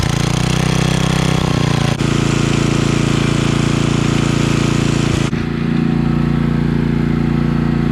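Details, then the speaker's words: Coleman Powermate 5000-watt generator after cleaning, fresh fuel, new spark plug, oil change and throttle spring adjustment: steady drone with one brief dip, then holds even at full speed; voltage raised from about 80 to 120. "so okay so that was a pretty easy fix on this guy we just cleaned it up a little bit put some good fuel in it changed the spark plug out changed the oil"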